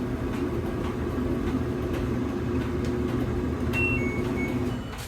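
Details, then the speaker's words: LG dryer DLGX7188WM after replacing the drum rollers that caused squeaking and loud thumping: steady, even low rumble with no squeak or banging; normal dryer running. "so as you can see it looks like we did everything correctly now we have a quieter smoother running dryer"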